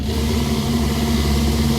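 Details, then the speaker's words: MCI5 bus, Detroit Diesel 8V71, jake brakes just repaired and used for the first time: deep, steady diesel drone with a hard, rapid bark holding the bus back; driver feels it pulling; engine brake working. "mean, I can feel it holding it back. Yeah, I can feel it because I go forward up Yep. onto the steering wheel."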